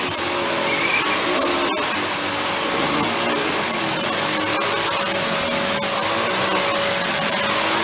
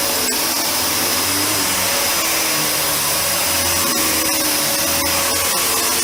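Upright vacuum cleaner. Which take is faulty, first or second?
first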